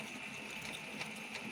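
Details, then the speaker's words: Brother DCP-L3551CDW printer after the paper-feed parts were cleaned with alcohol, powered on for warm-up: light, quick, smooth mechanical whirring. The gears turn while the solenoid is not engaged, which is normal. "โอเคครับเดี๋ยวเรามาเปิดสวิตช์เทสดูกันนะครับว่าเวลาเครื่องวอร์มมันจะหมุนเหมือนเดิมมนะ"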